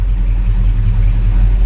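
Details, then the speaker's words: 1957 Chevy Bel Air V8 after rebuild, idling and given a little rev after topping up power steering fluid: steady even low rumble, no whine or squeal, power steering pump quiet; normal idle. "give her a little rev she sounds good man she sounds really really good"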